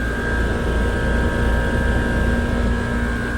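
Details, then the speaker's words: Trane communicating outdoor unit (ERR126.00 no-cool call, breaker had tripped) running compressor high stage at 15 A on 240.5 V: steady deep hum with a constant mid-pitched tone and no knocks or rattles. "Okay, so the unit kicked on. We're at 15 amps. Seems to be okay."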